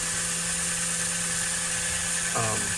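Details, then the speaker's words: 1952 Atlantic / 1954 Rocket American Flyer twin-armature engine motor: steady, high-pitched electric whine at even pitch, spinning fast and freely in forward with the expected higher RPM, unlike reverse where the short armature pulls from the brushes. "hopefully you can hear the difference there's the you can see the difference this is what we would expect we would expect a lot higher RPMs"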